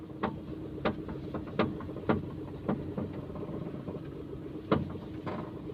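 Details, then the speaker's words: Maruti Suzuki Alto idling quietly with the bonnet open while the steering wheel is turned: irregular creaks and cracks about every second; a steering creak, source unconfirmed. "ഈ കേൾക്കുന്ന sound ഒരു പൊട്ടൽ പോലുള്ള ഒരു sound, Crick എന്നുള്ള ഒരു സൗണ്ടാണ്, ഞെരുക്കം സൗണ്ടാണ് കേൾക്കുന്നത്."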